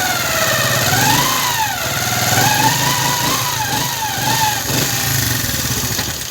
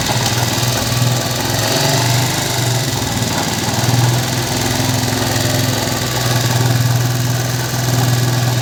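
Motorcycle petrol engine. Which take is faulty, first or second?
first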